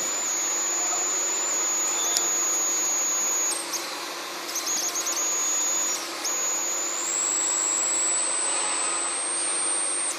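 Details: 12V to 24V LM324 boost converter under LED load, close sensitive microphone on the coil: thin high whine near 7 kHz that drops out briefly then climbs in pitch as output changes; inductor coil whine.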